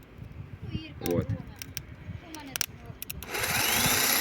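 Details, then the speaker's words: Opel Astra G 1.9 CDTI starter tested with power applied directly: after clicks, steady high whir holds; motor and brushes fine, fault is solenoid not closing its contacts. "він крутиться то есть Тут проблем нема со щткою"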